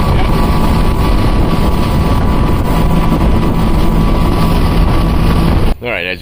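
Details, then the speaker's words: Mercury Verado 350 outboard on a boat, running with the top cowling on after checking a suspected supercharger noise; smooth, steady drone with no scream or whistle, much quieter with cowlings on, engine running normally. "you can see in the film there it is much much quieter with those top cowlings on here"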